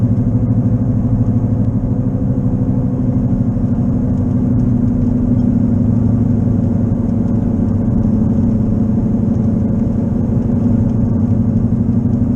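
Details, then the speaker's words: Car at about 55 mph on wet roads: a steady low droning hum builds with speed and is louder in right turns that load the left wheel. Owner concluded a bad left wheel bearing, not yet fixed; it was first mistaken for an engine problem. "I turn right because it puts the pressure on the left wheel so I mean it's my left wheel bearing that's bad"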